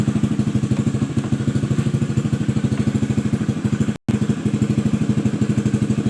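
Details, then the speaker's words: Honda Vario 110 scooter that suffered engine cutout and lost ignition, running after the non-original aftermarket regulator/rectifier was replaced: even, steady idle putter with a regular beat, no misses or knocks. "Nah, oke ya teman-teman, ini sepeda motor sepeda motor ini langsung hidup waktu saya ganti regulator ya, ganti kiprok."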